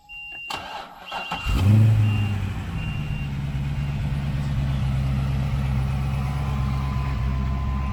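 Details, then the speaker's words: Bone-stock LS7 V8 in a C6 Corvette Z06 with the mufflers open: the starter catches and it settles into a deep, steady, even idle; it runs clean with no knocks or misses. "as expected this thing is a bone stock ls7 which sounds absolutely phenomenal with the mufflers open which they are right now"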